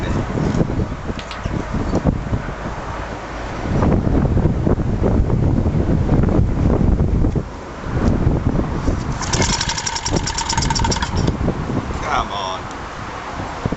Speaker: I'm next to no compression well look at that I wouldn't say there was compression there but she ran oh my God what a noise that was a lot of piston slop